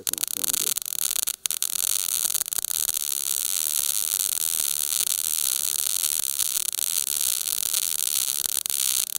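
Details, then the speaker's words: Everlast Power i-MIG 315 on carbon steel sheet T-joint, CO2 gas, 0.030 ER70S6 wire: arc stutters and crackles unevenly at trigger pull before settling into a steady sizzle; voltage and wire feed too low. "all right so when i pulled the trigger uh you guys heard it was stuttering it was trying to start trying initiated arc then eventually it did"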